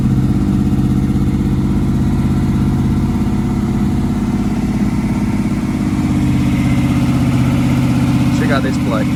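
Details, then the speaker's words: Holden LX Torana 355 V8, just bought and first started on the trailer with fuel down the carby: deep lumpy V8 idle holds steady with a faint light tick over it; ticking at idle, source not pinned down. "everybody's fine so it's ticking this Ticky"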